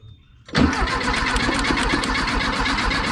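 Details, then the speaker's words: 1976 Volkswagen Beetle with '40 Ford kit, sat for years, cranking with fuel dumped into the carburetor to test for spark; steady starter cranking about four to five beats a second, turning evenly but never firing: crank, no start. "doesn't seem like it's fire hit it"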